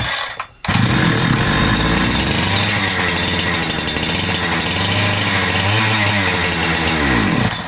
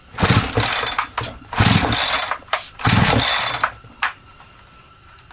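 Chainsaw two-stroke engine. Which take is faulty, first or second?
first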